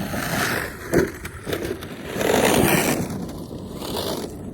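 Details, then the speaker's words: Traxxas X-Maxx on 8S with a Hobbywing Max 5 1100KV motor: rough, irregular scraping and crunching under throttle instead of a clean whine; the differential gears are stripped. "The diff I'm pretty sure is uh is going to be blown."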